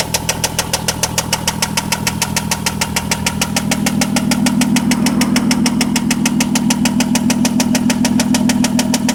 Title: 2003 vw jetta 24v engine knockin!!!